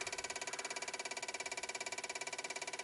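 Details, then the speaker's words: 1995 Dodge Ram V10 cold no-start, engine off: relays click fast and evenly, three to four per second, sharp and tinny, louder as the warming PCM tries to ground the ASD/fuel pump control; nothing loading the 8 V reference, bad PCM suspected. "you can see as it warms up if something warms up inside this PCM see how it's trying to pull the uh the control side trying to ground it and the relays are clicking louder and louder"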